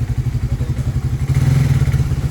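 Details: Suzuki Raider 150 Fi single-cylinder, with a complaint of ticking noise once hot after long rides, on a test after valve clearance reset by reshimming with no parts replaced: even, quick low thumping with no ticking, so the engine sounds healthy.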